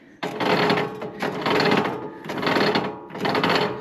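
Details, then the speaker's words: Copper King wire stripper gearbox after repair and grinding to fit, running; whirring surges about once a second over a steady mid tone, turning freely with some gear mesh noise expected while it runs in. "I mean, it might make some noise until it kind of runs itself in, but hey, I'm okay with that."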